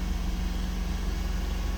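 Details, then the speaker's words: 2004 Toyota Celsior UZ V8 cold and warming up: rough at idle by ear, but held at about 2,000 rpm a steady even drone that is almost smooth, pretty smooth by 3,000 rpm; no engine codes; cause not yet found. "so using our ears we know something's not right let's comp be that vacuum once it's warm but as it's warming up let's TR bring the revs up a little bit and you see gets to 22,000 RPM it's almost gone smooth and by three it's actually pretty"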